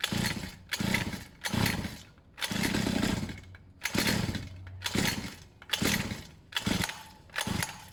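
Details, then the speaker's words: Pit bike single after a long lay-up, choke that was slipping stiffened and now fully off: revs up and drops back in quick repeated blips, picking up cleanly each time with no stumble; running properly. "so what was happening was to choke itself was slipping and moving so I stiffened it up a bit it sounds much better now with the choke completely off"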